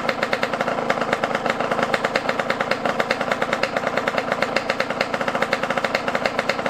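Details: Yamaha YZ125 two-stroke dirt bike, not warmed up, during carb air-screw and idle adjustment: crackly, popping fast idle with slightly uneven bursts, running rough; mixture probably off.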